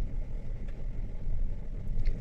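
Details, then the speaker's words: Hyundai Elantra with P0302 cylinder 2 misfire code, at idle with cylinder 3 injector unplugged in a cut-out test: idle pulses and sags unevenly, RPM drops, showing cylinder 3 injector works properly; injector swap planned to confirm. "तीन number का band करने पे भी ये देखें RPM मतलब तीन number का भी इंजेक्टर इसका प्रॉपर कम कर रहा है"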